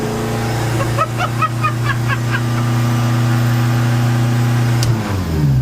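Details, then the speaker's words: Zetec turbo van, first start after engine rebuild, mock-up with no coolant, recorded inside cabin: loud, deep, steady drone with crisp exhaust note, no knocks or rattles; very loud, race-car-like, everything vibrating; normal running. "How cool does that sound? mock up. Mate, that sounds ridiculous. I could be in any race car."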